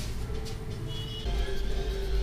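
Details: Partner P340S chainsaw after carburetor rebuild and new spark plug, previously flooded with fuel in the piston and muffler and would not start: steady, even two-stroke idle with no misses or surging; normal idle.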